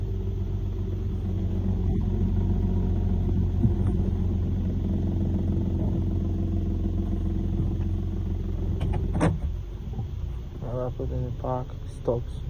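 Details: Lexus RX330 idling in Drive; a steady deep rumble that fades once shifted to Park; rumble in drive.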